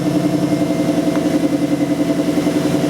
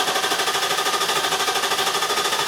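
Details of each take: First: 2002 Infiniti Q45 4.5 L coil-on-plug engine, after no-start diagnosis (P0335, faulty crankshaft position sensor): starts and idles steady and even at about three and a half pulses a second, no misses. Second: 2002 Infiniti Q45 4.5L coil-over-plug engine cranking with even, fast starter churn but never firing; scan data shows no RPM signal while cranking, P0335 set, no spark—failed crankshaft position sensor, fixed by replacing it.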